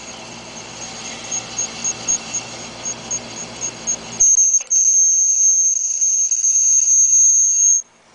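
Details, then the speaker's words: 2001 American-made Hunter Original ceiling fan that ran for years and was never oiled: a high, thin squeak chirping about three times a second, then a continuous squeal from a dry, worn main bearing with almost 1/4 inch of play. "this is what a hunter original sounds like if it hadn't never been oil but ran for several years"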